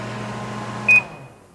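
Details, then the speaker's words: 1988 Sharp Carousel II microwave, shell off, with tape directing fan air through the magnetron, drawing its rated 1.2 kW (about 10 A). Even mains hum and fan noise, then one beep as it shuts off; working properly. "Make sure the air goes through the magnetron to cool it. So that looks like it's working properly."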